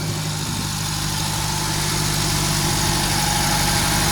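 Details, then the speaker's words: Nissan Grand Livina L10 automatic, used car, engine still cold, part of exhaust removed so it sounds louder: steady, even idle hum, the typical Livina ticking almost inaudible; normal idle. "dikitirnya Alhamdulillah halus nih Coba kalian dengar pakai mic ya alhamdulillah halus mesinnya suara ngelitik-ngelitik ala khasnya Livina kayaknya hampir tidak terdengar"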